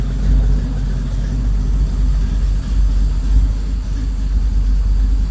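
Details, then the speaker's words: Car at first startup after a long build, with a fuel leak noted: the engine starts and holds a deep, steady, low rumble at idle with no knocks or ticks. Normal, smooth idle. "did you hear that start and just like that i wish i could have planned that now the fuel leak i didn't record that i didn't plan that yeah oh it sounds nice nice and"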